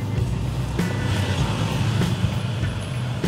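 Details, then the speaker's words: Scooter torque drive after torque drive bearing replacement, cured grinder-like noise: steady low drive drone with only faint light ticks, no grinding rasp; quiet in person, sensitive microphone exaggerates noise; bearing runs smoothly. "Okay, so tahimik na siya. So mas maganda ang pakinggan kung sa personal, pero pag dito sa video kasi maririnig mo talaga yung medyo maingay na kasi sensitive yung microphone natin. Pero kung maririnig mo siya ng personal, napakatahimik."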